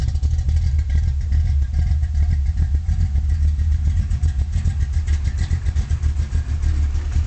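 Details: 1972 Chevy Nova small-block V8 with a solid lifter cam, Flowmaster exhaust and Powerglide transmission: a deep, loud idle with an uneven, loping beat of about two pulses per second; rough idle, cause not confirmed.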